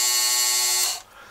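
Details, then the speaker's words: Walters motorized bascule bridge gear motor running at 5 volts (6 recommended), with a loose drive rod and no tight spots. A thin, high, even whine holds steady, then cuts off. Normal gear motor running. "pay attention to the gearbox noise can hear it's very consistent and it doesn't get high low"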